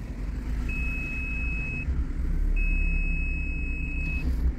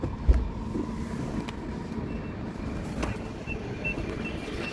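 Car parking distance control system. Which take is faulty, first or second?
first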